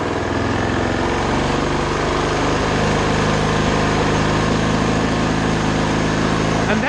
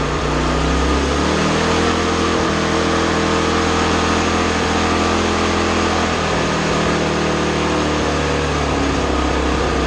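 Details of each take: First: 2020 Toro TimeMaster 30-inch self-propelled mower running at the factory-set speed without the throttle: a steady, even buzz with no surging or misfire, a normal rated engine speed. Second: 2020 Toro TimeMaster 30-inch self-propelled mower: the buzz climbs past the factory-set speed and holds a high, strained pitch; with the governor it could rev all the way up, which the owner says is not good: engine overspeed.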